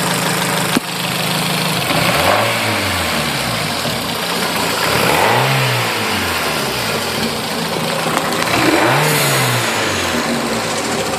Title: No more Rod Knock!!!